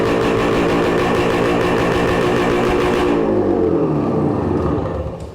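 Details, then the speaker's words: 1966 Suzuki Bearcat 120cc two-stroke, revived after sitting, oil leak present: crisp even beat for about three seconds, then smooth wind-down at shutoff; runs normally. "Well, that sounds pretty good."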